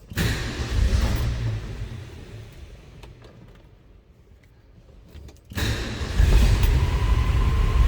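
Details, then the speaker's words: 1969 Ford F100 Custom Cab, 300 cubic inch inline-six, cold-blooded, started cold on choke. Low rumble sags almost to nothing, then catches and climbs; rough cold running on choke until warm. "It's going a little bit. Like I said, this one is just a little cold-blooded."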